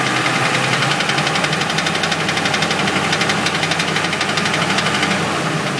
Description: Bent flexplate noise took a while to figure it out but it is what it is